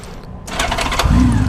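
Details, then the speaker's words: 2000 Honda Valkyrie Interstate, 30,000 miles, six carburetors: on starting, a few quick sharp taps (about three) during a brief crank before it fires at once; one broken tooth on a gear between starter and flywheel, not the starter or flywheel. "So when you go to start it, you hear like it fires up really quick, but you hear like a little tap just when you start it."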